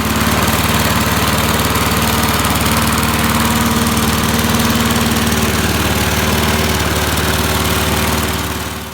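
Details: 1988 MTD self-propelled mower with the head refitted, running on premixed two-stroke gas. Small single-cylinder engine holding a steady, even pulse of about four beats a second with no misfires, then shutting off cleanly; normal running.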